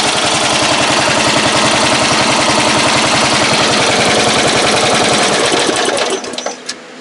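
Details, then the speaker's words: Briggs & Stratton ride-on mower engine after fuel system fix: even rapid chuffing about three and a half beats per second, holding steady before the hidden kill switch shuts it off; normal running. "Oh yeah. She'll sit there today. Yes, sir. Good engine. Impressive."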